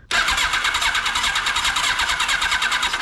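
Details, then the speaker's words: 1982 Kawasaki KZ1000 LTD sitting about 35 years, plugs in: starter cranks at an even pace, about eight pulses a second, never catching; cranks but won't start, no spark found, owner suspects sticky valves from compression sound. "nothing and it sounds like maybe we got some sticky valves I don't know if you guys heard that on the compression"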